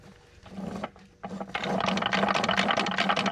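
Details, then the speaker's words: Dodge Neon SRT-4 parts car with a bad transmission that would not go into 4th and locked the wheels while rolling; inspection plate off, shaft turned by hand gives irregular gritty grinding and clunks, fourth gear stripped of all teeth. "Little grinding and banging. I wonder if we could get it into first gear."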